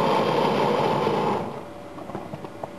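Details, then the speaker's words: Gas fryer burner with thermostat set to 170, solenoid-fed flame rail and a large pilot light: a loud steady rushing roar for about a second and a half as it fires up, then soft ticks; burner firing normally. "I'll do a quick video of the burner in this because it's quite amazing when you hear it fire up. It's incredible."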